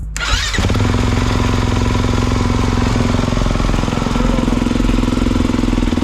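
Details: 2022 Kawasaki KX450, which previously would not restart hot: a couple of cranks, then it catches and settles into a steady, even idle with no stumbling; starts and runs healthy.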